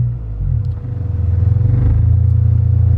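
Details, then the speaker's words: Stock 2000 Honda Civic on E85 after fuel was increased 30%: air-fuel ratio back to 14.7 stoichiometric from 30–40% lean; idle smooths and firms into an even, happier pulse, now normal. "Wow 30% almost melted it's right back at 14.7 and i'm sure you could hear that the engine did it perked up a little bit of sound that sounds happier"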